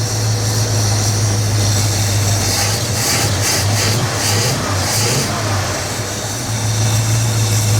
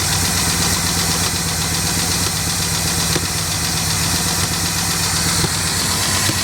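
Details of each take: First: 1967 Lincoln Continental V8 that sat about 29 years, after oil reached the top end; strong even rumble at high idle, ticking gone, running on all cylinders, idle still to be turned down. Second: 1967 Lincoln Continental first start after about 29 years sitting, choke on, spitting fuel: fast busy valvetrain clatter over rough idle until oil pressure builds. Valvetrain clatter from low oil pressure at start-up.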